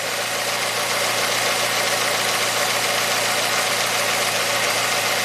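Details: 2009 Ford Fusion that runs rough and very rich, after the owner introduced faults while diagnosing. Idling with hiss and an uneven lumpy beat; unplugging the MAF gave no change, fuel trim went to 0, and an intake air temp circuit high code set.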